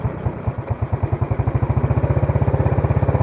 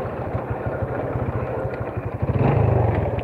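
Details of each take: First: Yamaha Vega R with freshly rebuilt engine, warm after revving, idle speed just turned up after it stalled from too-low idle: small single-cylinder thumping evenly at about twelve beats a second with no stumble or hunting; idle set right. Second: Vega R motorcycle that lacks power, with a rough engine and a lag off throttle, while riding: a steady tek-tek knock of about three per second that quickens with revs; diagnosed as a worn connecting rod.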